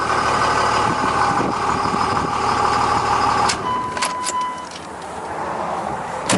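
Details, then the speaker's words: 1999 Dodge Ram Cummins turbo diesel 4x4, 223,365 km, well looked after: even steady diesel idle with a constant drone and no knocks or misses, then a few clunks; runs really good. "And I can start it up here. Runs really good."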